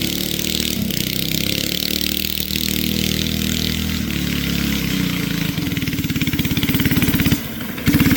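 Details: Flathead Briggs & Stratton alcohol race go-kart engine, barn find sat over 30 years, running E85, test run: single-cylinder stumbles and cuts out under throttle, firing unevenly; engine bogging, carburetor issues suspected.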